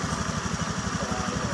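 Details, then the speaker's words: Honda Scoopy with MIL flashing 7 short blinks; broken engine temperature sensor wire makes the ECU read a cold engine and add injector fuel; fast, slightly uneven idle putter; rich-running idle. "kalau ulat ini tidak kerja maka yang terbaca mesin selalu dingin akhirnya Apa akhirnya itu memberi tambahan semprotan bahan bakar kepada injektornya karena berbagai dingin"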